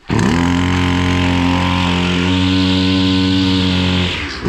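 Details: Husqvarna 553 RBX brushcutter two-stroke, previously non-running: winds up quickly and holds a steady, even high-pitched buzz without stumbling or surging; runs clean.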